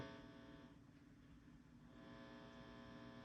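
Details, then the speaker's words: Fender Dual Showman tube amp, normal channel, after the 400 Hz signal generator is switched off. A low steady buzz with faint fizz and a small click is normal residual hum from an open input jack. "That residual buzz you're hearing is because there's, in essence, an open input jack."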